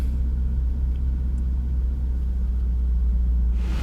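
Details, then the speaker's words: 1997 Jaguar XK8 V8 after repairing bad ECU solder joints that caused misfires, crank/cam sensor codes and hard starting: deep, steady warm-up idle with no stumbles or misfires, unlike before when it wouldn't fire or stumbled. "that's a promising sign because before it wouldn't fire up at all or it would stumble on its ass so we're gonna let it run we're gonna let her warm up see how she behaves already acting better"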